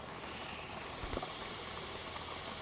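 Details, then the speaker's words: Pressure canner with quart jars of raw-packed green beans, coming up to pressure before weight goes on: steady loud steam hiss rising then holding even; normal 10-minute venting forcing air out. "This is called venting, okay? It is forcing all the air out."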